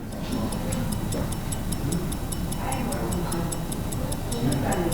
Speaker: you hear that ticking that's the typical ticking of a an 18,000 half 18,000 oscillations per hour 5 Hertz movement